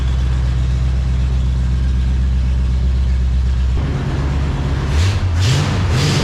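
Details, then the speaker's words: 1970 Dodge Charger racecar V8 with an X-pipe and Street Pro mufflers, at a deep, lumpy idle with a steady low rumble and a few quick throttle blips; the engine sounds healthy at normal idle. "So, just so you guys can hear what it sounds like with an X-pipe and the Street Pros. And I kind of dig it. I like it."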